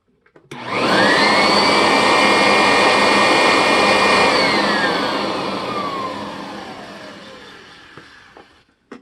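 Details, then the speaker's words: Sanitaire Wide Track II vacuum after reassembly and greasing, heard from the other side: strong motor whine climbs fast, holds even with clean airflow rush, winds smoothly down; normal running. "certainly a real monster"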